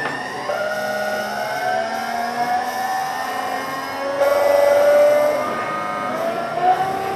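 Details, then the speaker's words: Inverter-fed induction motor on a VVVF PWM drive: clear singing tones climb with speed, stepping like gear changes as the switching frequency shifts ratio while accelerating to top speed; normal inverter whine. "We can turn up the speed and it goes [Music] faster. And you may hear as we turn up the speed that it appears to be changing gear."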